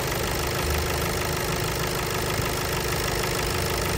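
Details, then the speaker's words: VW Golf, cold engine at first start, revised injectors, hard morning starting: busy uneven idle clatter with faint rapid injector ticking, clearest at cylinder 4 by stethoscope, initially resembling a belt noise. "bu ses enjektör sesi özellikle 4 tarafta çok net bir şekilde geliyor steteskopla dinlediğimizde bu sesi net bir şekilde duyabiliyoruz arkadaşlar"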